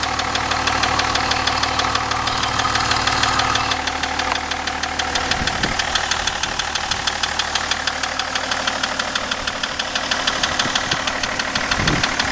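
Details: BMW E38 730d, M57 diesel at idle: sharp regular metallic knock about three times a second standing out over the idle; engine knock of unknown origin.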